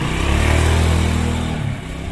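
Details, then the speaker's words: Honda Beat carbureted scooter that sputtered and stalled, after replacing the faulty kiprok (regulator/rectifier): engine pulls strongly through a smooth rev and eases off cleanly with no misfire or stutter; power back, normal revving. "Ya intinya Ya enak udah tenaganya gede lagi gendong gini Oke"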